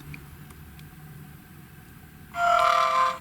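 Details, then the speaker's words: GHD Chronos S8M261 hair straightener switching on: short high beep with a scratchy, rattly edge as the plastic on/off button vibrates, because the piezo buzzer sits too close to it; stops when the button is held. "you hear that it's like um it's like plastic vibrating let me just turn it on and I'll shut up"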